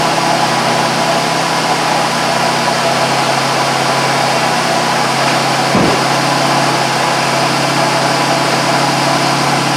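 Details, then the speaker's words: 2001 Buick Park Avenue after the A/C compressor clutch and pulley were replaced (air gap set to 0.030 in) because of a bad pulley bearing. Steady idle with the clutch disengaged and no bearing growl or rumble. The compressor pulley now runs normally. "I did run it no horrendous noise when it's not on now which is good"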